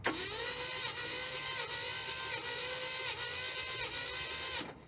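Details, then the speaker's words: 1969 Chevy Suburban junkyard big-block on a compression test, five cranks per cylinder: the starter whines with a slow, uneven beat and cylinder five reads 60 psi (others 100, 85, 70). Low cylinder compression. "Okay, that was 60, Steve. Yeah, that's all you get is five cranks."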